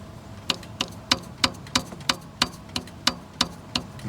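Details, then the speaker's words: 1995 Dodge Dakota (year uncertain), engine at operating temperature, pulley struck and turned by hand: sharp dry uneven ticks about three per second from one pulley, others quiet; worn pulley or bearing suspected. "Para saber si la polea está dañada a veces basta con pegarle así pegarle al contrario y se va a poder oir un sonido diferente esa no lo hace pero esta"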